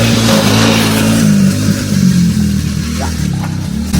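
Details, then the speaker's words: 1975 Jeep CJ5 that had not run in over 20 years, cranked with gas poured in the carb and mismatched plug wires: it almost starts, then rough, uneven whirring carries on. Owner suspects a starter staying engaged or a bad connection. "now that's the starter it almost started and then it went to this so there's something off with a starter"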